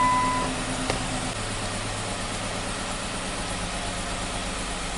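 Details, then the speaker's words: 2017 Jeep Wrangler at idle: slightly loping, uneven beat from a cylinder 1 misfire that persisted after swapping plug/coil with cylinder 5; fuel injector suspected. "So this tells us we still have a misfire in cylinder number 1, and I'm thinking it's possibly the injector."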